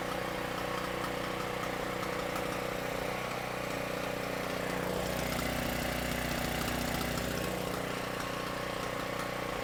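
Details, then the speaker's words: Cheap used portable generator, 38 hours, non-runner, now with throttle linkage reconnected: steady, even engine drone at constant speed, no misses or surging; runs smoothly. "Well, sounds to me like that thing runs great."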